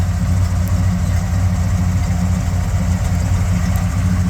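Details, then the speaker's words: 1979 Jeep Cherokee Chief after a frame-off restoration, with a rebuilt AMC 360 V8 and Holley 2300 EFI. Deep, steady V8 burble at idle with even firing and no knocks, misses or ticks; runs very smooth and strong. "Starts right up. Let you hear the engine. Runs very smooth. Runs good. It's strong."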